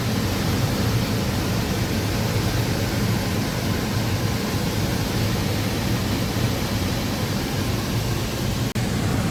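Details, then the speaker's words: Home air conditioner indoor unit after replacing the failed blower motor, first power-on: smooth steady low hum with even airflow rush, no rubbing, squeal or rattle; new blower running normally. "Okay. Here's the moment of truth. Let's turn her on. Yeah, that's a good sound."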